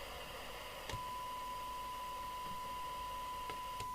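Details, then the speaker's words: 1981 Grandstand Gemini CB27/81 UK FM CB radio on the bench at 12 V during alignment, SINAD meter connected: steady test tone near 1 kHz over faint hiss with slightly wrong pitch; receive off frequency, corrected with the clarifier. "It actually sounds off frequency which figures because let's play with the clarifier."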